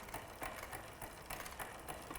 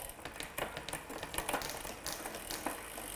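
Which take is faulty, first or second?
first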